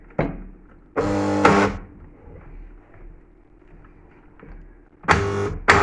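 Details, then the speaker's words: Robot Coupe MP 450 stick blender, reassembled after being stuck: two short bursts of strained electric hum that never spins up; motor stalled against jammed blade shaft, spare part needed. "No, it's not. It doesn't want to go around, so I'm not going to burn the motor out."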